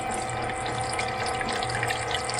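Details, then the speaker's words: AirDog lift pump on a TDI diesel swapped into a Jeep, purging fuel lines: steady pump whir with splashy gurgling; the sound changes as diesel arrives, still mixed with air. "Whoop, it's working. You hear it change. And there's diesel. Oh, air."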